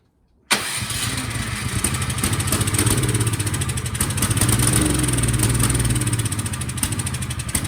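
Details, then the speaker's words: Cub Cadet 528 SWE snowblower brought in as a no-start, fresh gas, choke on and primed: catches into a ragged, uneven sputter that never settles to idle and fails to keep running; carburetor suspected, to be cleaned. "all right something definitely carburetor related so let's pull this off let's take the carburetor out and give it a cleaning"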